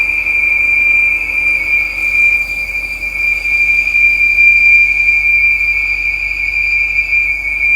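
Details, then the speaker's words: Audi RS5 idling with a steady high-pitched whistle around 2.5 kHz, code P2279 intake leak: both PCV breather valves sucking air, noise fades when cap removed; fix is replacing both breather valves. "Okay, it's sucking in. This one also sucking in. So, you're going to need both uh breather valve here."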